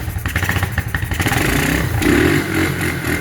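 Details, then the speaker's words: Quadrunner ATV-to-buggy build, engine very cold, air box disconnected: quick crisp firing pulses pick up pace smoothly as the throttle opens, no misses. Revs right up, normal free revving. "you can hear, it revs right up. Very cold, too cold."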